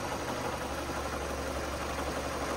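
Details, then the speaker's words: Ford KA with failed gearbox, slipping clutch, stuck in first and oil leak, engine idling: constant gritty rumble without letup from clutch/gearbox area, suggesting worn gearbox bearing with shaft play. "can you hear that noise that's the clutch in the in the um the gearbox"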